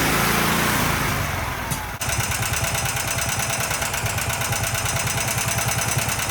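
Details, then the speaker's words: Predator 420 engine, about a year old, after valve lash adjustment that cured backfiring and pinging: picks up on the throttle without bogging, then drops to a slow, steady low idle of about three beats a second with the secondary clutch disengaged; healthy. "I'll also press on the gas a little bit so you can hear what it sounds like and that it's not bogging."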